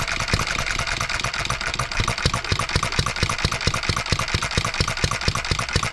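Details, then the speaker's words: Small 1988-built engine, unknown last run, crankshaft trued to .0015 runout, valve timing roughly set, junk in fuel system: quick steady chain of sharp firing pops with one skipped beat; runs but overspeeds, governor spring needs speed adjustment. "at least we got to hear it Miss one time I think we're going to be doing some speed adjustment now here with this governor spring"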